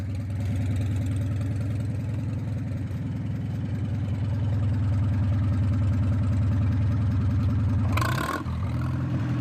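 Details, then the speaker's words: Modified Farmall M International four-cylinder tractor, warmed up, revved a little. Deep, even exhaust beat around three pulses a second that firms up slightly with throttle: steady and regular, a healthy engine. "When you get these international 4-cylinders warmed up, boy, they sure do the trick. I mean, as I said in one of my previous videos, these things they run like a typewriter."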